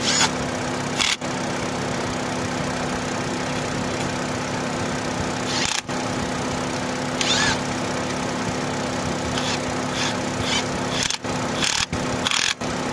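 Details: Opel (Vauxhall) that cranked but would not start, now idling after the no-start fix: a steady low drone holds through the clip under a few clicks and rustles; normal, even idle.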